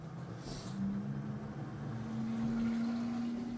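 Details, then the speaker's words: LG inverter front-loader washing machine in test mode after a tub clean: the drain pump gives a quiet, steady mid-pitched hum that creeps slightly higher as it pumps the water out; normal drain operation. "This is the drain. The drain is draining all the water out from the machine."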